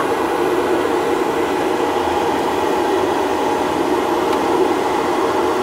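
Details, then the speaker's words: Bobcat T76 R-series loader with newly installed air filter aspiration kit, ignition on: the aspiration blower gives a steady, even whirring hum with no pulsing, rattle or grinding, pulling a modest vacuum, running smoothly though a bit loud. "okay you want to go turn it off yeah so you can hear that running I mean it's a little loud but that's pretty cool man this is a really cool kit"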